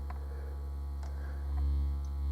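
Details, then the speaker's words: Aaron Sub-240 powered subwoofer amplifier fed a 70 Hz test tone into a floor speaker: low tone comes through rough and buzzy with extra hum; distorted output. "it is distorted so let me kill that so we'll listen to a normal audio track through it and oh yeah it's distorting"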